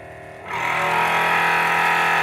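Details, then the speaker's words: Forward FW 361+ hot plate separation vacuum pump, before repair: it is quiet without a device on top, but once suction is applied it drones at roughly 100 dB with a steady buzzing rattle. "so imagine trying to work with this machine when it's making the sound of roughly 100 decibels subway train or food blender that is very loud my friends"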